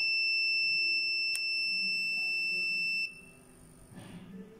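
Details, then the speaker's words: Logitech S-220 2.1 speaker amp board (bass output not working), continuity test on the large filter capacitor: steady high beep for about three seconds then cuts out as the capacitor charges; healthy, not shorted. "gördüğünüz gibi bir müddet sonra Bip sesi kesiliyor arkadaşlar bekliyoruz gördüğünüz gibi Bip sesi kesiliyor Bunun sebebi kondansatörler bildiğiniz gibi üzerine elektriği depo ederler"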